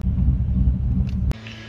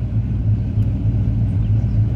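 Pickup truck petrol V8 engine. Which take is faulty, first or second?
first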